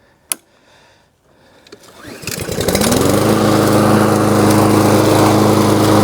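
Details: New Lowe's M230 163cc self-propelled lawnmower cutting tall grass in mulching mode, deck raised to next-to-highest (about 3.5–4 inch cut): pulls up to speed and holds a smooth, even drone without bogging; healthy engine.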